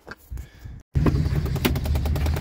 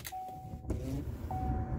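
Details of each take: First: 2010 Chevy Impala in cold weather: steady rapid clicking, about three ticks a second, over low fan hum, coming from behind the glove box; the failing passenger-side blend door actuator, replaced as the fix. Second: 2010 Chevy Impala key-on after replacing the passenger blend door actuator: steady chimes and low hum, clicking from behind the glove box gone; normal operation.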